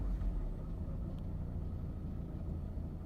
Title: 1985 Mercedes Benz 190e Rough Idle